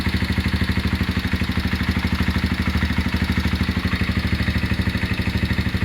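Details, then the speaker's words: Honda GL Max Neotech single-cylinder engine idling before teardown; owner complained of rough noise, oil seepage and possible compression loss. Coarse, regular clatter from the cylinder head and clutch area, traced to a stiff timing chain link and a scored rocker arm. "Nah, itu dia bisa teman-teman dengar sendiri suara mesinnya kasar ya, terutama di bagian head dan bagian kopling."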